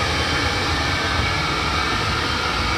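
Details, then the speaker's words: 5 kW diesel air heater installed under the kitchen in a 28 ft motorhome, replacing the LP furnace, on full blast: even, steady rushing hum with a faint constant fan whine, no surging or rattles, not very loud, normal operation. "that's the heater on full blast it's not it's not that loud it heats up quick"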